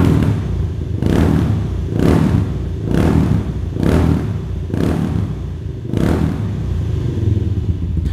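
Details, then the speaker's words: Kawasaki Estrella 250 (W250) single-cylinder cafe racer with a custom silencer packed with plenty of glasswool: deep thump with about one sharp rev blip per second, smooth pickup, no knocks or rattles. Normal exhaust note. "Ya, suara knalpotnya ciri khas Kawasaki banget ya, 1 silinder. Cuma bedanya kalau kalian bandingin sama W175, jelas yang Estrella 250 ini lebih padat gitu cuy suaranya."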